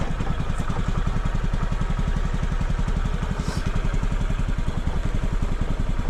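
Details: 2007 Honda Metropolitan 50cc scooter after carburetor cleaning, low-power fix (previously ~35 mph max), weak battery needing jump start: even, fairly quick single-cylinder putter at steady idle, no misses or knocks; idle set about right.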